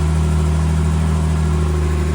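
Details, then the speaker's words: 1963 Jaguar XKE, parked since 1996, revived with remounted exhaust, fresh fluids, new header tank and cooling hoses; smooth, steady low idle just after first start, even beat, no misses, ticks or knocks. "and the engine sounds all right."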